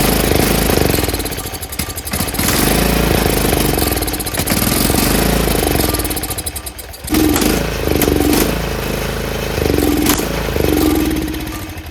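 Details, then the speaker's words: Troy-Bilt 30-inch rear engine rider after combining two carburetors, choked with ether: catches, surges and sags, stalls and restarts; won't run on its own, owner suspects water in fuel, actual cause clogged main jet. "I can't understand it. I don't know why it doesn't run on its own. It should."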